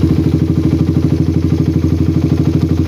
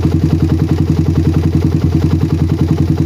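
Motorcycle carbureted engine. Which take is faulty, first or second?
first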